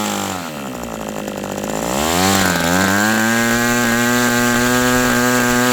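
High buzzing two-stroke climbs from a burbling low speed to a steady but slightly uneven scream; still running rich during break-in.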